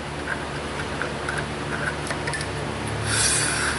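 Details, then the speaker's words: 2011 Hyundai Sonata GLS rear, new rotor, parking brake star adjuster tightened to lock then backed off, rotor spun by hand: soft light scraping rub without grinding; parking shoes drag slightly as intended. "should hear them dragging slightly. When you spin it, it should roll at least one rotation on its own."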